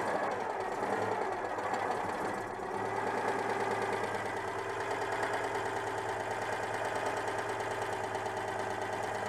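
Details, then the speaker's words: Citroën 2CV flat-twin after tracing an ignition fault, contact breaker points somewhat worn: steady, slightly lumpy idle with no misses or pops, running properly; problem confirmed as ignition. "bon bah écoute et malgré que le rupteur soit un peu hs et tourne donc c'était bien un problème d'allumage"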